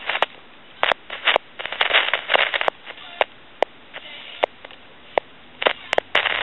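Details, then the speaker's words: Tele Concepts telephone, handset dropped on the floor: irregular bursts of sizzling crackle and sharp pops over a quiet line when the potentiometer in the microphone feedback circuit is touched; noisy potentiometer, may be replaced with a fixed value. "and you can hear that sizzling and cracking from that potentiometer"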